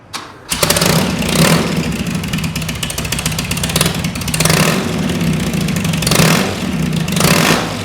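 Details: Custom BMW R80 airhead boxer twin, rebuilt after being found neglected in a hedge, catches straight away. A few throttle blips rise and fall, then it settles into an even, loping, healthy idle.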